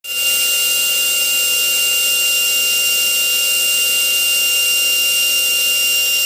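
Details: GMN grinding/turning spindle, 90k, after repair: a steady, very high whine with even hiss as it spins up and runs smooth with no roughness, a normal high-speed run.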